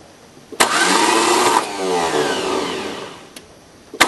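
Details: 1981 VW diesel pickup jumped from a Chevy diesel with 2000-amp batteries, four-month-old Napa starter: about three seconds of whirring, pitch rising then sagging, never catching. Solenoid cold and starter shaft maybe slightly warm afterwards. Cause unknown.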